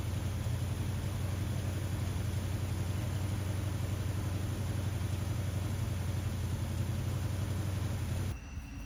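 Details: 1979 Ford F150 after a carburetor rebuild: low V8 idle holding on its own but pulsing unevenly, still needing a carb tune. The owner suspects a misfire from coils not fully plugged on. Reseating the boots and setting float height later helped.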